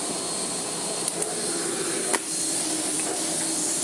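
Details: Miele Blizzard bagless vacuum (SKRF3): even, steady rushing roar with no surging, whistling or labouring; running freely with good airflow, vastly improved and in good working order.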